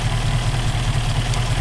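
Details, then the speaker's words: Rover P5B Coupe V8 petrol engine idling with a deep, steady rumble and no missed beats after fixing a hot-engine misfire: loose distributor contact breaker nut tightened with thread lock, and condenser replaced. "i actually think it was enough just the nut that was loose and it seems to be running fine now so problem solved"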